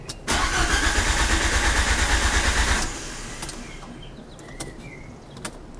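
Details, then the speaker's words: Fiat Panda with swapped Abarth Panda Turbo T-Jet engine: starter churns about three beats a second for over two seconds, then stops without firing; hard start, owner suspects fuel pressure though fuel is plentiful. "if I didn't know better I'd say it was fuel pressure definitely plenty of fuel there"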